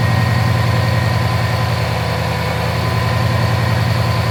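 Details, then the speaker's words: Subaru WRX started after BG EPR engine flush and MOA oil additive, aimed at oil consumption: steady, even low idle with a soft regular pulse and no ticking; already sounds better. "There's no ticking. Sorry. [Music] [Applause] Now we'll check. But it already sounds better, doesn't it?"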